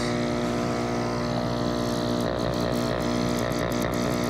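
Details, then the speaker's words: Active Aqua single air pump after fix (part held down with a zip tie) that had no airflow and was loud: at max setting, steady even buzz at constant pitch, no rattle; running smoothly. "now it's on low you can barely hear it max"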